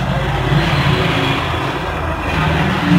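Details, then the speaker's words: Epson L120 printer after repair of power and paper LEDs blinking together (foreign object found inside), printing from data cable: steady low carriage and feed hum and whir, no grinding or knocking; printer back to normal. "ini teman-teman Alhamdulillah untuk apa printer sudah kembali normal"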